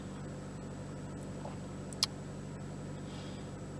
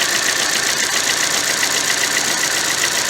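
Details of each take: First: 2013 Chevrolet Cruze 1.4 L turbo petrol, after repair of a P0300 random misfire, idles evenly at a raised cold-start fast idle with no stumble; misfire counters show none. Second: 2013 Chevrolet Cruze 1.4 L turbo with P0300, check engine light and rough running; lumpy idle with regular stumble about four times a second, solid dead-cylinder misfire, injector pintle hump unchanged so fuel not suspected.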